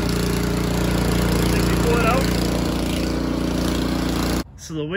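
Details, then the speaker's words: Snowblower primed with three or four squirts, then started with the electric starter: small single-cylinder engine putters at a steady, quick three to four pulses a second; normal start and idle. "what i'm gonna do with this snowblower is i'm gonna start it with the electric starter because a lot of you guys will have one and you may not want to pull it"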